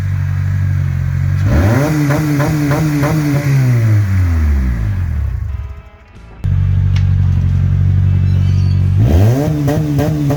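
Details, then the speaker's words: 2004 Honda CR-V, stripped interior and wiring, first start with exhaust removed: very loud, raw, deep unmuffled bark swelling as it revs and falling back. "this will be the first start without an exhaust so I'm going to hand you over to Jackson and we'll start it up"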